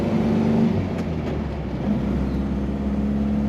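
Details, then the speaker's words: 1960 Nash Metropolitan Series IV hardtop with three-on-the-tree manual, driving down the highway at about 40 mph: steady, even engine hum under light road noise, no ticks or stumbles; runs smooth and healthy. "hear how smooth it runs? It rides that nice down the highway as well."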